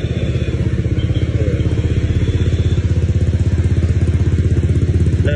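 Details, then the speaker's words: Honda Vario scooter, odometer already rolled over once, after repair, at idle; steady even idle at about three pulses a second, quiet with no ticks or knocks, stable when hot after a 15 km test and easy cold start. "ini buat kondisi engine-nya tuh senyap suaranya, Teman-teman. Enggak ada suara aneh-aneh lah."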